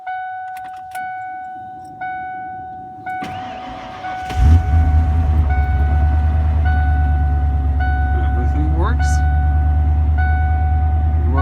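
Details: 1992 Ford F-150 after serpentine belt and junkyard tensioner change with smog air pump deleted: key chimes, short crank, steady even idle with no belt squeal or chirp; charging normally.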